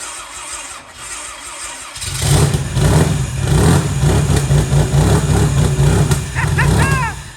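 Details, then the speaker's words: Rear-wheel-drive Civic build with starter cranking issues: cranks then catches with uneven sharp popping, about three to four pops a second over a rough run; misfire popping, crank sensor air gap incorrect and needing adjustment. "Okay, hold on. It sounds like popping. Hold on, do it again. I want to show Brent. The crank sensor is going to need adjusted."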